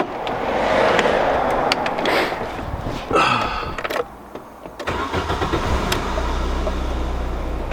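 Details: VW Golf Mk3 with intermittent stalling: starter cranks a few turns, engine catches into an unsteady idle after restart; owner almost positive the throttle body unit is the cause, will replace it.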